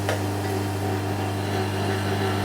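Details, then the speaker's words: Vacuum pump driving a Medvedev vacuum jar capper, sealing jar lids before autoclave sterilization: steady, even electric hum with constant low drone and no knocks or rattles; pulling vacuum normally, lid pressed down. "По звуку насоса слышно, что там вакуум есть. Все, крышечка вдавлена."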